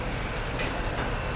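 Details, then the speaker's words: Mitsubishi Xpander that was noisy when accelerating and turning, after installing a new genuine front drive shaft axle, on a test drive: steady low road rumble with no clunks or knocks from the front axle. "Tutok mo camera idol. Okay na yan mga boss wala na."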